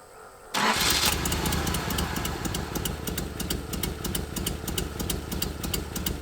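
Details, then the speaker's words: 1981 Nissan 280ZX six-cylinder, sitting about 15 years, with an electric fuel pump; catches briefly, runs loud and uneven with sharp pops, then stalls. Owner suspects distributor timing or weak pump pressure. Rough running. "i think it's the timing the distributor if something's not right with it i'll just put it that way a little run but for just a couple seconds and then it stalls"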